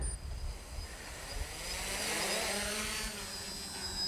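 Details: Smaller 450 quadcopter with NAZA Lite flight controller: steady even propeller buzz with no surging or pitch wobble; hangs by itself in a smooth, stable hover.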